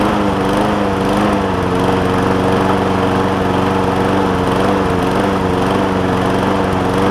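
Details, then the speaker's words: John Deere JA60 push mower with a replacement tank, new fuel line and a carb believed clean, at raised throttle: speed hunts with an uneven pulsing beat that never settles. Lean running; debris is suspected in a carburettor jet. "And she's all over the place. Put an air filter on it."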